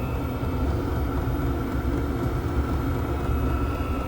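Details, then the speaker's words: Diesel air heater used for home heating, level raised with the plus button from the fourth level: deep steady roar with a faint high tone and increasing ticking as it runs at higher power. "abbiamo la possibilità di agire per quanto riguarda il livello con più e meno e aumenta anche qua vedete sta aumentando anche il rumore il ticchettio"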